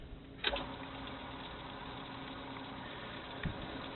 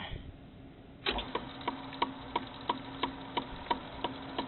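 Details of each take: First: Frameworks ball lift after replacing the lower pulley wheel, whose worn bearings had caused knocking. Quiet, even running with only a couple of faint bumps and no repeating knock; it sounds smooth and healthy. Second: Frameworks ball lift, lower pulley wheel starting up: sharp regular knock about three times a second from the worn pulley bearing; sometimes the wheel hits the housing, this time the knock is inside the bearing. Repositioning the belt can sometimes stop it.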